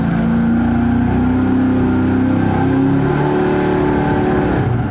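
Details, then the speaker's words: 5.3 L LS Chevy (LM7) on the dyno: engine revs up with a rough, wavering note and a slight misfire instead of a clean climb, later traced through A/B testing to a fuel distribution problem. "he issue we're having right now is that it sounds like it has a little bit of a misfire."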